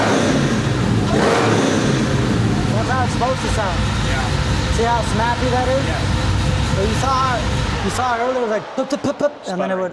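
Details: 1972 Chevelle, LS-swapped with a Whipple supercharger, being dyno-tuned after an earlier misfire: repeated blips rise quickly and cleanly with no stumble or popping, a normal crisp free rev.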